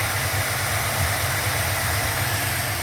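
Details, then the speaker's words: 1977 Buick LeSabre idling smoothly after some carburetor adjustment, a soft, even low rumble with no misses or knocks. The owner suspects the float and needle were hanging up, not that it ran out of gas. "There we go. She is purring like a kitten."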